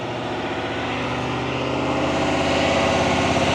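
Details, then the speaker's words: 2022 Silverado 2500 HD L5P Duramax diesel, stationary forced regen via Foxwell HD500: smooth raised idle slowly climbing in pitch and loudness to heat exhaust; normal regen. "What this is doing, it's bringing that RPM up, it's bringing the exhaust temperature of the gas, everything up. It's gonna raise it, see how it's going even higher?"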